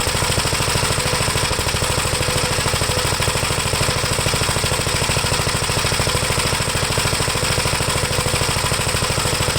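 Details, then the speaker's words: 1973 Gravely C8 walk-behind tractor, single-cylinder, first run after magneto removed and points cleaned and gapped and the gushing carburetor swapped: steady, even beat near fast idle, no misses, oil pressure up; runs pretty good, final adjustments pending, air cleaner still off. "okay so not bad it's pretty good i'll make some final adjustments"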